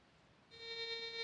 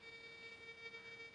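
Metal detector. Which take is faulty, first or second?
second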